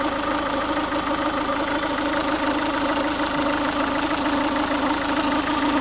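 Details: Ford Focus 1.6 TDCi diesel at warm idle: loose, uneven ticking clatter about once a second over the diesel rumble, noise only when the engine is warm; cause unknown, owner asking for opinions.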